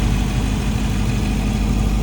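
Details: 2016 Jeep Grand Cherokee SRT V8 just after thermostat replacement, warming up to temperature with heater on: deep, steady idle with even low rumble, no misses, knocks or surging; healthy, no leaks.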